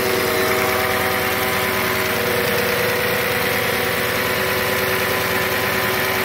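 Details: 2007 Audi S8 with about 73,000 miles, cold start after sitting at least a month: a smooth, steady idle with light, even injector tick and a high-pitched air pump whir in the background. Nothing abnormal.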